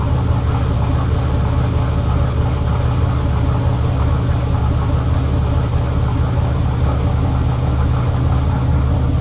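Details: Chevelle with turbo LS on a Holley Terminator X, first start, fuel pressure at 75 psi rather than the 60 psi target: steady, fairly fast idle above normal; owner suspects the throttle blade is open too far, with the idle air control at zero.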